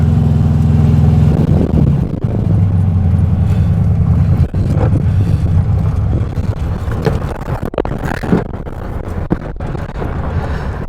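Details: 1967 VW Beetle air-cooled engine, just reinstalled after valve adjustment and new belt, first drive: uneven chugging with a stumbling beat, then sags and stalls; suspected misfire, plugs to be cleaned and re-gapped.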